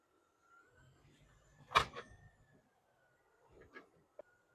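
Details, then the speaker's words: Mercedes W212 E550 with Airmatic and 4matic, front-end clunk: faint rolling hum, then sharp clunk when the car stops, lighter knock after; worn strut top bearing with visible play. "Look at all that bearing movement. Let's check this one. This one's even worse. Can you hear that clunk?"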